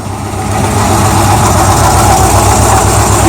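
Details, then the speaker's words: El Camino at idle, heard from underneath: steady idle with a loose, uneven metallic rattle; no valvetrain noise; owner suspects something broke inside the new catalytic converter, blocking the exhaust and causing power loss. "now I'm thinking it had to do with the catalytic converter or something in something internally broke and it was blocking the exhaust that's why it was losing power and still rattled down here"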